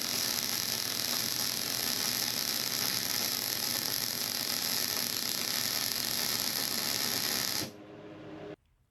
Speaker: Now, you can see this is where I first started and it did the snap, crackle, pop deal.